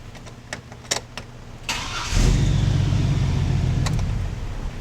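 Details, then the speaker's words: Older vehicle with a customer complaint of starter bendix noise: it cranks briefly, the engine catches, and a short whirring clatter sounds as the starter drive kicks out. The fix would be replacing the starter. "He's literally he's literally complaining that the starter drive starts the engine and when he kicks out it goes. It's going to mean replacing the starter and hoping that the new one's a little quieter or doesn't spin as much cuz it's not as free."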